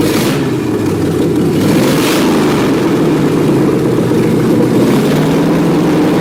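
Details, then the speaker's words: BMW E30 with LS1 V8, open exhaust, carburetted: loud loping idle that never settles; spark plugs showed it running a little rich, with carburetor tuning planned. "we check the spark plugs and found out we're running a little rich and we'll probably up the tune the carburetor"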